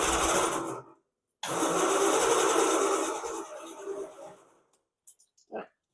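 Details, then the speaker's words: 1969 Triumph Vitesse, idle about 2 years, restart attempt: the starter whirs in two long bursts but the engine never fires. The choke cable clip is missing and the throttle cable frayed, so more choke is tried. It ran before. "Okay, we were more successful the first time. Try a bit more choke."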